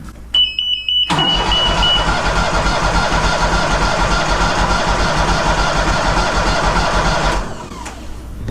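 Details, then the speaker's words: Walker Superbee 52-inch rear-discharge mower, parked since April, battery recharged: short beep then starter churns about three turns a second for six seconds but never fires; crank no start, not getting fuel. "I just cannot get this thing to start. It's not getting fuel."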